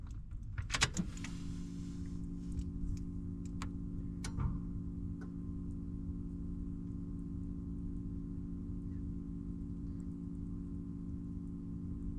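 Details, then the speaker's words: Engine with white smoke, fuel-rail pump replaced under a month earlier: low steady hum lasting 18 seconds after key-on instead of shutting off; owner suspects fuel pump or fuel pressure, unconfirmed. "You hear that low humming noise? It took 18 seconds for it to go away. That low humming noise was my fuel pump on my fuel rail, and I was looking up the white smoke and it says something to do with fuel pressure."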